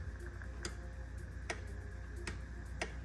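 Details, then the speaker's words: Miele K1801 fridge whose light goes off and beeps on its own; four crisp clicks over a low hum as the door reed switch and relay board open and close normally, with magnet and reed switch confirmed working. "you can you can hear the read switch and the relay board clicking opening and closing"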